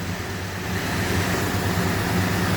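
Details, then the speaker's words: 1981 Chevrolet El Camino, newly acquired, running on 5 fresh gallons over roughly 20-year-old fuel. Steady, slightly quick idle with an even low rumble and no knocks. Idle speed a little high; some popping noted. "all right it's running idling a little bit fast but not worried about that sounds all right"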